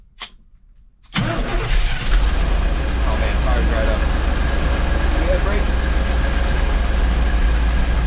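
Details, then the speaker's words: 1984 Chevy Champion motorhome with Edelbrock carburetor, revived after years off the road, trans fluid topped up and carb bowl filled: one short crank, fires at once, settles to steady deep even idle; oil pressure present, valve train quieting, transmission engages. "we do have oil pressure the valve train quiting down so we have transmission we have oil pressure"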